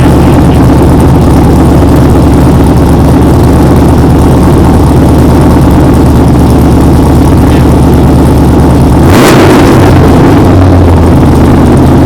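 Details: 6.0L V8 Pontiac Trans Am, warmed up, with a newly installed budget true dual exhaust: loud lumpy burble at idle, then a sharp rev blip; a strong healthy engine with a throaty exhaust.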